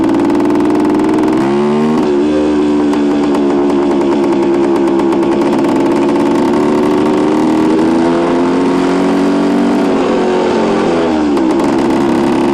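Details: 1973 Suzuki TS250 two-stroke being ridden after a rebuild, its first ride with no bugs or major issues. Crisp, even buzz pulling cleanly through the gears under load, no misfire, knock or rattle; healthy engine.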